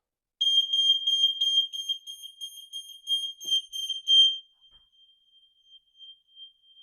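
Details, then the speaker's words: Interlinked smoke, heat and carbon monoxide alarms on a press-and-hold test, all sounding and working: shrill rapid beeping with fainter alarms elsewhere in the house. "I can hear them all going off."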